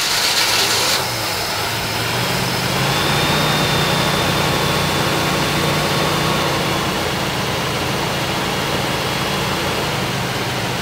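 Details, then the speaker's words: 1965 Chevrolet Impala just restarted after 20 years sitting: steady, even, noticeably quick idle with no misses, timing light on; idling a little fast, exhaust smoky and smelling of gas, thought to be from sitting. "We got our time light going on here. See, it's idling a little fast."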